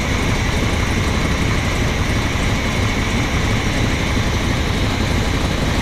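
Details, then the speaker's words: Old rig, after a plugged filter was found and a mouse nest was cleared from the intake: strong steady roar holding an even speed without stumbling or misses; normal running. "So you figured out the filter was plugged. Mouse nest out of the intake. All right, let's go start that thing and we'll see what it sounds like now. Might run now."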